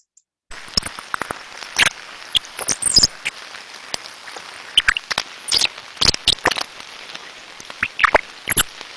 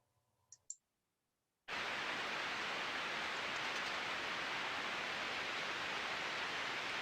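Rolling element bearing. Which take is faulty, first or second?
first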